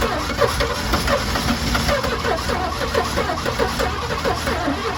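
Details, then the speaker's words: 1986 GMC Sierra engine, new distributor and plug wires fixing no spark, with a little gas in the carburetor; steady cranking with scattered cylinder hits that never catch: fires but won't run, apparently fuel starved. "She wants to so bad. She wants to so bad, guys. I mean, talking about it's it's so close."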